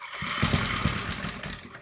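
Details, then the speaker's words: Briggs & Stratton engine on a Gilson tiller, after fixing its screaming recoil starter, started on choke with fresh oil: quick catch and steady putt-putt, no starter screech; normal start. "that was a pretty happy starts"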